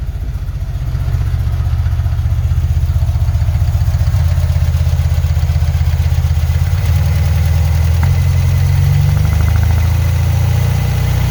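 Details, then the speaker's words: 1975 Porsche 914 1.8L engine with new centrifugal distributor, carbs at base settings (idle screw in 1.5 turns, mixture screw out 2 turns): steady low idle with a faint, uneven stumble; slight miss, seemingly on bank one, cause unconfirmed. "yeah idle seems a little rough I'm I'm really kind of sitting at those base settings I discussed just a while ago"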